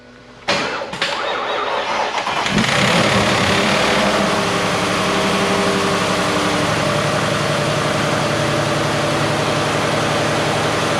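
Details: 2022 Ford F-150 5.0L V8 replacement engine with long tube headers, previously Whipple supercharged and holed its block; two quick cranks, then fires, flares up and settles into a loud, steady idle through open headers — normal start and idle.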